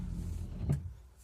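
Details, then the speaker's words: Windshield washer pump that hummed but didn't spray, after its clogged filter screen was cleaned of film and refitted: brief low electric hum then a short spray burst, pump now working normally. "Он поставил почистил сеточку поставил испытал всё работает всё омыватель исправлен всё брызжет нормально"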